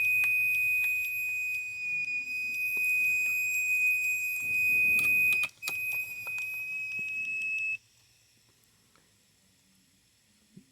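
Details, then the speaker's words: Hard disk drive running with top cover removed: steady high-pitched beep for about eight seconds, then stops; owner suspects head actuator arm alignment is off. "when it's making that noise that means up my alignment for the armor is off a little bit"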